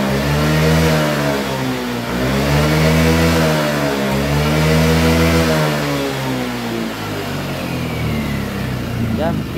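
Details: Yamaha Lexi 125 with weak power on climbs: on full throttle the revs swell then flatten at the same ceiling, as if held back; cause later found to be the fuel injector.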